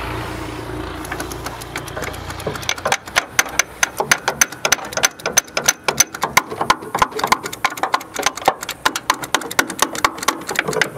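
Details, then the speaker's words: Locked-up 1962 AMC Rambler American sitting 50 years, transmission fluid put in cylinders: quick, uneven clicking and clacking with almost no cranking; starter straining on seized engine, starter gets warm, may need removal and cleaning. "I don't hear it doing nothing now. I hear it just lightly. I can feel it. Ooh, it's warm."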